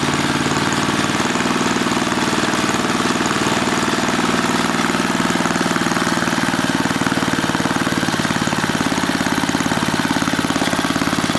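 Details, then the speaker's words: 1980 rototiller small single-cylinder engine, after stretching the governor spring: still buzzing hard and fast at steady high speed without settling; overspeeding because the governor spring is the wrong one. "all right so we don't have the right governor spring and we need to fix that"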